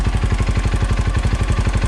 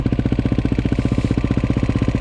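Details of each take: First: 2008 KTM 530 EXC-R dual sport after fitting a manual cam chain tensioner in place of the factory one; quick even thump of about eleven pulses a second with no clicking or chain clatter; normal idle. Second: KTM 530 EXC-R single-cylinder started cold on choke in a December winter: thumping idle with a light metallic clatter on each beat. This is cam chain slap, because the hydraulic tensioner relies on oil pressure and the oil is too thick when cold.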